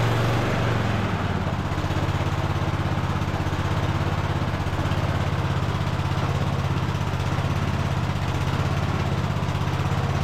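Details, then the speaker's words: Free non-running Cub Cadet LT1045 riding mower, after carb cleaning and fuel system repair, manually choked: steady idle pace whose beat wavers and hunts slightly. Mild surging; owner plans an air-fuel adjustment. "we'll go ahead and give this thing a crank again it is still surging a little bit I'm going to try to make an adjustment on the air fuel"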